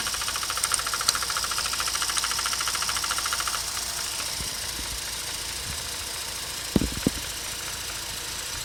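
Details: Mazda RX8 231 bhp at idle: light fast ticking about three per second fading after a few seconds; SSV removed and cleaned, owner suspects SSV actuator link knocking, needing new unit or rebuild.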